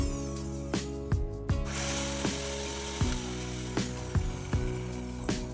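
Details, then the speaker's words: Meat grinder after repair, tested before full reassembly, new gears fitted and greased: steady motor hum with light gear whir and a few soft clicks; gearbox running smoothly, normal. "ഇപ്പോൾ പുതിയ ഗിയേഴ്സും നമ്മളത് നല്ലതായിട്ട് ഗ്രീസൊക്കെ ഇട്ട് lubricate ചെയ്തതുകൊണ്ട് എല്ലാം ഇപ്പോൾ സെറ്റാണ്. നല്ല സ്മൂത്തായിട്ടുള്ള വർക്കിംഗ് ആണ് ഇപ്പോൾ."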